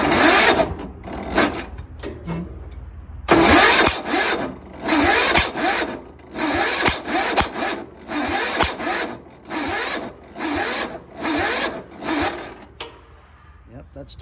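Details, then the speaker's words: Yard Machines (MTD) 38" riding mower, 13.5 HP Tecumseh engine, before valve adjustment, nearly empty tank, starting fluid sprayed: labored churning bursts about every second, never catches; starter hot and smoking, turning too slowly for good spark; slow cranking, no start. "starter is a little bit hot there it's kind of smoking but it's just not going fast enough it's not cranking fast enough to get a good spark"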